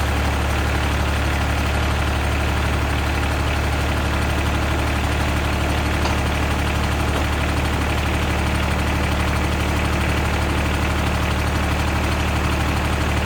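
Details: 2001 Caterpillar 302.5 mini excavator, Perkins 3013 diesel, after replacing the leaking oil pressure sending switch: a steady, even low rumble at about two pulses a second, no knocks or misses. Normal idle.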